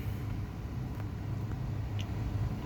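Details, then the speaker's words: 2011 Jeep Grand Cherokee WK2 started after clearing codes, smooth even idle with no surging; fix was replacing braided ground straps behind no-start/no-crank and P0622. "Let's give it a start. And she runs."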